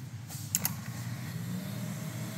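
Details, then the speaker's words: Jun-Air UltraQuiet compressor on auto pressure-switch control, with an auto-purging water trap, outlet not occluded: a couple of soft clicks, then a quiet, low, steady hum. A normal compressor start. "so what you're hearing if I were to block the com uh the compressed air on the exit you would here it's actually a super quiet super quiet compressor right"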